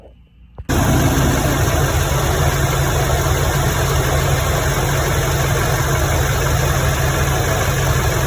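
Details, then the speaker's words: 2021 Duramax L5P diesel, first start after fuel system replacement (injectors, fuel rails, fuel cooler, lift pump): catches after a brief crank and settles into a steady, even idle without misfire or stumble. "And then that's everything. Like I said, just fill it up with coolant, hook up intercooler pipe, 2 more fuel lines, and then I'll be ready to start it up and see what it does."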